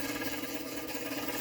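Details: Playmatic Harem pinball machine, first power-up, pressing credit: steady low buzzing hum running on and getting faster or louder without stopping as credit fails to add; owner suspects the credit unit.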